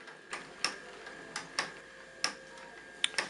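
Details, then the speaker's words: Live-steam model locomotive on blocks, running forward and reverse: light, sharp clicks come unevenly, about one every second or two. This is the normal ratchet of the front oil pump that feeds both cylinders. "un autre point qui est vous avez dû remarquer c'est qu'on entend un claquement et ce claquement qui est typique en fait c'est uniquement la rúa rochet de la pompe à huile"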